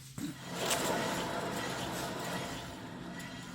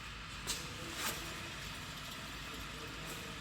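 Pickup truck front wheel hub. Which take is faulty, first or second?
first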